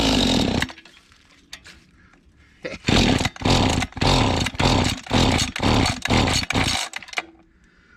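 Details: Mantis tiller small two-stroke, bought at an estate sale, running with the choke off. It surges into revs about twice a second, then drops away, hunting instead of holding speed. A dirty or unadjusted carburetor is suspected, not confirmed; the carburetor is to be cleaned and adjusted.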